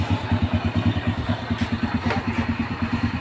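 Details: Honda Grand motorcycle after repairing a total electrical failure (no start, dead panel lights) by soldering a broken contact wire: even, steady putter at idle with regular firing pulses, no misses, knocks or rattles; normal idle.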